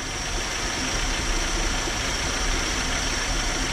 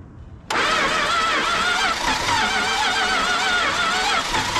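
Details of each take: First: 1968 Dodge Charger with a worn 318 and two-barrel carb, sitting in a field since 1984, first start on starter fluid, one side without a muffler: a steady, even, quiet idle. It later floods out; the needle and seat may need replacing. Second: 1968 Dodge Charger 318 V8 that sat in a field since 1984, fitted with a swapped distributor, new points and condenser; the timing is being adjusted. Starter churns steadily for about six seconds, almost catching but not starting.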